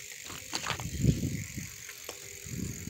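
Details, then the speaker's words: Beton shaft-drive bicycle, full aluminium frame, 26 in wheels, Shimano 3-speed internal hub, spun for listening; quiet spinning wheel with only soft scattered ticks and no grinding or clicking from the shaft drive, coasting smoothly. "Riêng cái chuyển động trục lát là mình quay không có tiếng kêu nhé. Không có tiếng động. Kệ chớn nó quay nhé."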